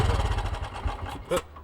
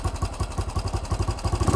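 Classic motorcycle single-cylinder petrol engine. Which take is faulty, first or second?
first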